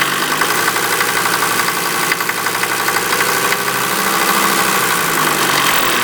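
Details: 1988 Mercedes 190D diesel running on waste vegetable oil, with heavy tailpipe smoke and diesel fumes in the cabin: loud idle clatter with a hard metallic clang about four times a second; cause unknown.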